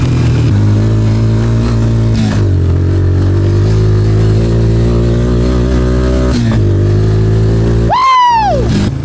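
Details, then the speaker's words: Suzuki Ozark LTF-250 ATV in cold weather, after fuel tank and pickup cleaning, carb install and tuning (previously bogging under load): deep, steady drone pulling cleanly as it climbs, no stumbling or bogging; normal acceleration, idle slightly high. "OH, she sounds good."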